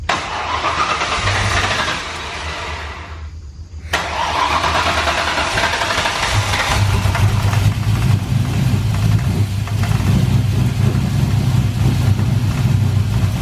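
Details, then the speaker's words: Pontiac GTO with new Holley Sniper EFI, started before base timing was set (should be 15° BTDC): cranks, catches, stumbles, settles into heavy slightly uneven low idle, running rich; rough running from incorrect ignition timing. "i actually forgot to set the base timing before i did everything"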